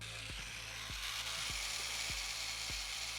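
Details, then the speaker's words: Sony SEL1650 16-50mm kit lens (owner's fourth): sharp dry clicks about every 0.6 s over soft hiss; intermittent fault that appeared a month ago, stopped, and returned, cause unknown. "here's the crazy part is, it did this once about a month ago, and then it stopped."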